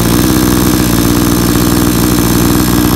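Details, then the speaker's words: Blue Max 22-inch 57cc two-stroke chainsaw, brand new, just after its first start with the choke pushed open, idling for about 30 seconds: steady, rapid burble at constant low speed with no misses or surging, a clean, healthy idle. "so this idling here i'm letting it idle for about 30 seconds"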